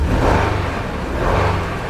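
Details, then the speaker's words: 2005 Honda Odyssey running with flashing check engine light and severe shaking; uneven, lumpy low beat with a faint stumble in the rhythm, indicating a misfiring cylinder or cylinders. "as you can see the check engine light is flashing and the vehicle is shaking tremendously right now it feels like this engine is misfiring there is a misfiring cylinder or cylinders on this engine"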